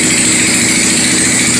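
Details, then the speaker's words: 1997 Yamaha Warrior 350 ATV with stage 2 cam and full DG exhaust idling in neutral: sharp raspy puffing on each firing and a little backfire, blamed on an exhaust leak; carburetor fuel screw may also need adjusting. "Other than that exhaust leak, the thing runs good. Got a little backfire to it. I think that's the exhaust leak."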